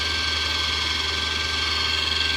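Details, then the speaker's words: 45k BTU diesel-fired Webasto coolant heater in a skoolie bus, test run after bleeding the coolant: steady even blower roar with a low hum and high whine, no surging or popping; running normally. "So here's my switch for the Webasto. Let's turn that on. It turns on and starts circulating hot water, or circulating water."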